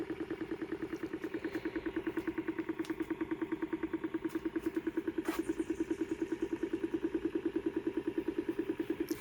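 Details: Homemade 3D-printed 5-pole magnet rotor with coil and Hall sensor, running at 13 V, 590 mA: steady pulsing buzz, about three beats a second with a tinny ring; owner unsure of the cause, thinks it comes from underneath.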